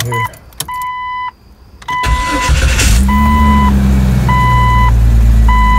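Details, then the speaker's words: 1999 Jeep Cherokee at first start after replacing the starter with a new Mitsubishi unit, the old one giving no click: quick, even cranking catches promptly and settles to a steady idle, with a chime over it. Normal cranking and start. "Oh, sounds good."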